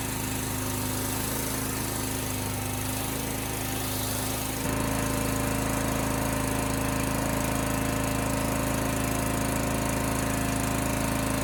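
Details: Honda GX390 pressure washer engine after carburetor cleaning to fix flooding and fuel leaking: single cylinder settles into a steady, even drone with a constant beat, no misses or hunting. Runs healthy.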